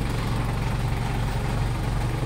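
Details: Mitsubishi Pajero Fieldmaster diesel had hard cold starts; after replacing the glow plug relay and high-resistance sending unit that kept the glow plugs on, it starts on one click. Steady, even, healthy diesel idle.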